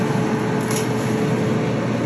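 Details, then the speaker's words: Whirlpool dryer running after repair with fresh grease: even drum rumble with a steady hum and no grinding, thumping or squeal; wheels smooth, normal dryer operation. "as you can see i don't hear any weird sounds no grinding sounds no bumping sounds once again that grease is very very good"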